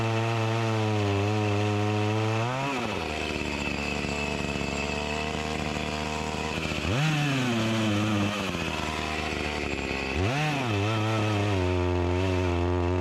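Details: Echo CS-352 chainsaw that starts then dies, cutting wood; revs up then tone sags and drops repeatedly under load, never holding full speed; not getting gas, lacking power, fuel-starved carburetor bogging.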